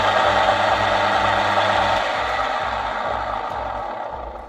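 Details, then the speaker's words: Hurom juicer reassembled with cover after disabling the weak-magnet safety sensor that stopped the motor: steady motor hum with light gear tick about three a second, easing down evenly; drive running normally. "and this works perfect. So if you have a juicer like this and uh the motor is not starting anymore, you can try and remove this"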